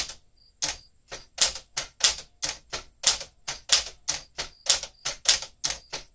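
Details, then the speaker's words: 1967 Sears Tower Citation typewriter, elite typeface, typed quickly: crisp, sharp key strikes about one and a half per second with a brief margin bell ring; healthy machine, bell confirmed working. "I think you heard the bell there, so you can hear that's working."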